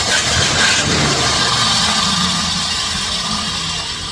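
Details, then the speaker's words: 1967 Chrysler Newport that sat for years, started with squirts down the carb; catches and runs rough for seconds then fades, as the fuel pump isn't drawing fuel from the tank. "Again, the problem is we still haven't pulled any fuel out of the tank. So, the question is, is that fuel pump going to pump?"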